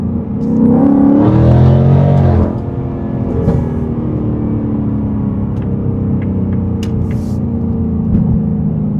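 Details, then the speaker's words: Shelby Super Snake with Stage 3 Whipple supercharger after new carbon fiber intake and larger air filter boxes, heard inside the car on a pull: strong engine rumble with rising supercharger whine climbing with revs, plus intake noise; healthy whine. "I can hear the whine to the supercharger, and I can hear the intakes, the air intake filters as well. You can definitely hear more whine of the supercharger inside."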